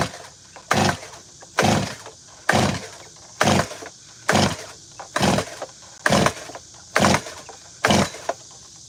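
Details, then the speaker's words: Gas chainsaw that had just been running, trigger held, spark plug fine: nine steady pull-start rasps with no firing or catch; owner believes it is flooded. "It's flooded. That boy flooded. Hear that? It's flooded."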